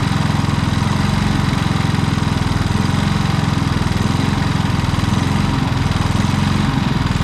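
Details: Predator single-cylinder generator with many hours, which surged after a week of running and running out of gas, now runs steadily with no surging after adjusting the idle stop screw limiting the electronic idle; carburetor had only some dirt.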